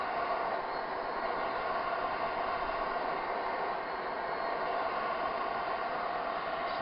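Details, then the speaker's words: Used Propex HeatSource HS2000 LPG campervan heater bench-tested before install, on cool-air fan setting: steady airy fan whoosh and even hum, no rubbing or ticking; fans running normally. "the unit goes into a cool down cycle where it keeps the fans running for a couple of minutes just to make sure all the electronics inside are cooled down sufficiently"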